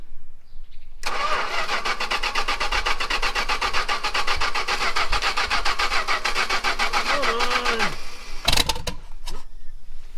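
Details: Carbureted 440 big-block V8 from a 1974 Chrysler New Yorker being revived: the starter cranks evenly for about seven seconds without a single catch, so it cranks but won't start.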